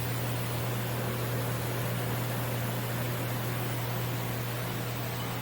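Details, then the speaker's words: Bridgeport Series I CNC knee mill running G-code, recorded about 3 inches from the power-feed screws; steady low hum with smooth hiss from the feed screws, no grinding or clunks; normal axis drive operation. "This machine is in excellent condition, and it is a Bridgeport, not a knockoff. Here's the original serial number. And you can hear I'm about 3 inches from the screws, the power feeds."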